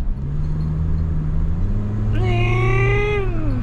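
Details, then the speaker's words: Hyundai Elantra (2013/2014) idling after a check-engine-light diagnosis: a sharp squeal that climbs and fades over about a second, louder with the air conditioning on; worn drive belt slipping on its pulleys. "see you hear the Bell noise you see that especially when you turn on the air conditioning you can hear more"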